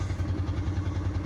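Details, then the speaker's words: Small 46cc (about 7–8 hp) gas engine on a water trash pump at an auction, pull-cord cranking with rhythmic chugging, about eight pulses a second, that never catches; hard starting, possibly flooded. "oh I might have just flooded it come the other two we were looking at still not a bad machine"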